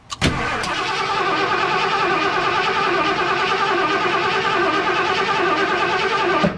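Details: 1978 Ford F100, warmed up, after it stalled: the starter cranks the engine steadily for six seconds without firing. A spark tester on cylinder 1 shows no spark, so the pickup coil is suspected.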